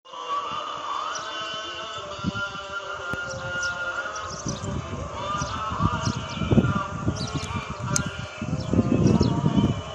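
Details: Jawa 350 two-stroke motorcycle after a rebuild, idling outdoors: an uneven low popping beat under birdsong. The idle holds steady and sounds healthy.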